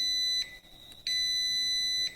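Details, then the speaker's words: Car alternator rotor tested with a multimeter on continuity: two clean high beeps across the two slip rings (winding about 4.7 ohms), with no beep between slip ring and shaft. The rotor coil is intact. "This indicates that the coil is continuous."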